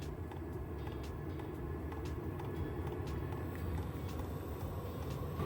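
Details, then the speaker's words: VEVOR 8 kW diesel air heater, model CY5002, at startup while the fuel preheats before burner ignition: light regular ticks, about two a second, over a low steady rumble, the fuel pump metering diesel normally. "You have to leave it for a few minutes to heat the fuel and then the burner will ignite. You'll hear tapping sounds,"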